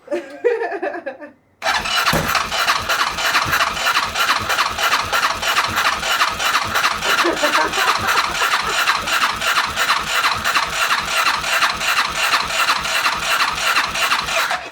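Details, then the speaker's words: Freshly rebuilt ATV engine, first start attempt after refitting to frame, fuel pump on: fast, regular starter chugging for many seconds without catching; cranks but never fires. "ei lähde. Ei. Mikä meteli."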